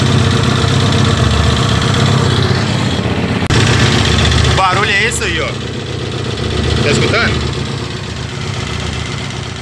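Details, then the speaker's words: Comet 250 motorcycle with freshly rebuilt engine being broken in: idling single with a rough tapping about four times a second from low in the engine, plus a rev blip. Bottom-end noise, cause unknown. "eu vou deixar um culto um vídeozinho curto aqui mostrando como era esse barulho que tava acontecendo para quem não viu os vídeos anteriores"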